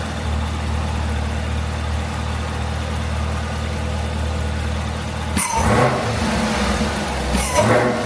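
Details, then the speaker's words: Supercharged Chevrolet after installing a Roto-Fab cold air intake: smooth idle, then two quick revs where a rising supercharger whine rides over the engine roar and falls back; the whine sounds healthy and the intake works. "Alright, y'all, so y'all heard it, man. It's whining."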